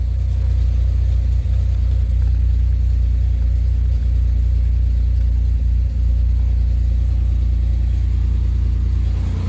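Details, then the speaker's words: 2007 Pontiac Grand Prix GT just after an oil change with Mobil 1 and a new oil filter: fires right up into a deep, steady idle with an even beat and no ticking or knocking; running normally. "okay now i can attempt she fired right up baby"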